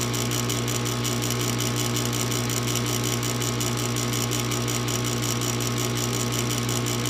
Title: Furnace won't start.